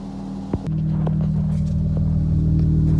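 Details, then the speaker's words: Dodge Charger Chrysler 3.6L Pentastar V6 after ticking-noise repair: revs from idle into a steady, smooth drone with no valvetrain ticking; normal engine revving. "That sounds good too."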